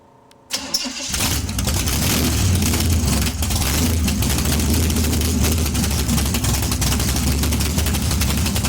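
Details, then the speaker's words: Chevy 454 big block in a barn-find T-bucket with both exhaust tubes removed, open headers: fires after a short crank and settles into a loud, deep, even idle with no misses or knocks; healthy. "Open her. How she's going to sound in the Monte Carlo. [Music] [Music] That's a little different, huh?"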